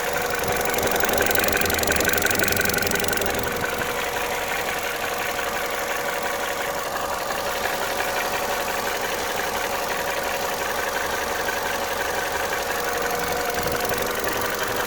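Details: Vauxhall/Opel Corsa D, cylinder head rebuilt a year earlier: eight months later a steady light knock about three beats a second at cold start, gone after 10–15 minutes warm; no warning lights; piston slap, lifters or rod knock suspected.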